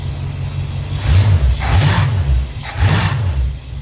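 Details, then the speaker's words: Dodge Dart revived after long lay-up and ignition module rewiring: revved while transmission stuck in both park and drive, engine rumbles in short blips but won't rev freely, sagging under drag; pan to be pulled. "It's not revving freely. There's issues with the transmission."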